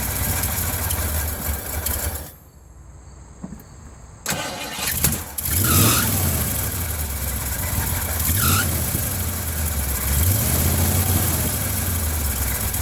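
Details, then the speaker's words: 1980 Ford F100 carbureted engine after 29 years sitting, new air filter, bowl refilled, running off tank with fresh gas, fuel smell noticed: cranks, catches after quiet gap, settles to fairly steady, slightly uneven idle; starting and idling after storage. "I was pretty excited, until I started smelling gas. Oh well, it runs and drives."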